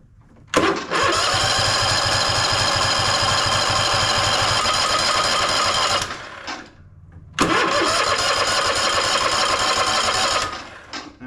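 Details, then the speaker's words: Toro Timecutter SS5000 zero-turn (model 74731), Toro-branded Loncin engine, choked with battery jump box: two long bursts of cranking, three or four turns a second, never firing. "pretty bad if your fuel is bad many times your your mower will not start at all it's not flamable enough to run that happens all the time in different instances"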